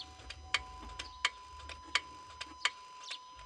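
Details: Opel Astra J 1.7 CDTI bought from a dealer a week earlier. Sharp, light ticks at roughly 86 a minute over a quiet idle; clicking source unclear.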